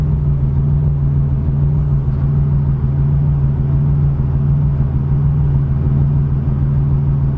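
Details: 1987 Chevrolet Cavalier RS convertible V6 at idle, owner has replaced everything yet it won't smooth out: low idle with uneven lumpy pulse and slight shake in rhythm; rough idle, cause not evident.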